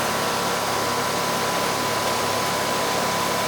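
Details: Ruud R22 home AC condenser (customer reported no cooling), running in the rain on a not-yet-hot day: a steady, even rush of fan air with a faint constant hum, no rattles or surging. Discharge air is warm and the unit sweating, so the charge looks fine.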